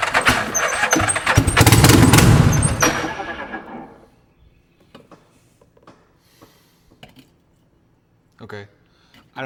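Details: One of four free ATVs (Suzuki Ozarks and a Yamaha Rhino) running on starting fluid: a loud, ragged, raspy roar for about three seconds, then it stalls. Stuff shot out of the holed exhaust and the exhaust needs work. Exhaust leak.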